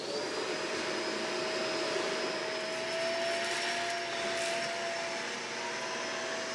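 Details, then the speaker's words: Shark vacuum after picking up about one cup of baking soda from the floor, bin not full: airy roar with a thin steady whine slowly creeping in pitch; motor note changed and sounds strained. "oh i don't know if you can hear that in the microphone but after about one cup the bin's not full"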